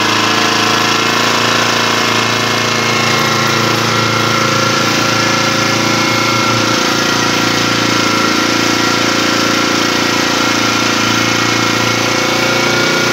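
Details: Yasuka generator engine, long unused and with a damaged crank, started after fuel was added: a steady, even rattling run at a constant pitch with no surging, misses or knocks, so it is running healthy.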